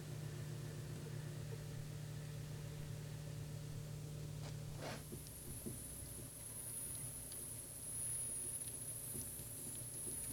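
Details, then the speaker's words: Tsubaki low-noise drive chain on both sprockets under 1 kN load at test speed, about 66 dB: low, steady hum with no clatter or rhythmic slap, normal quiet chain running. "this is saki's low noise drive chain the chain is attached again to both sprockets and the test is carried out as"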